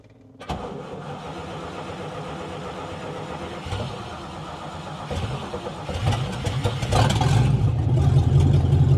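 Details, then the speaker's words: Vintage car starting up after its exhaust was cut to modify the exhaust manifold and left disconnected there, fuel pump audible. The starter cranks, then a loud, raw, blatting idle with all sound coming from the front; exhaust open at the manifold, not drivable until fixed. "so as you can hear it's pretty loud the exhaust does only come out on that side but since the exhaust is not hooked up the exhaust manifold right now all the sound is coming from up front"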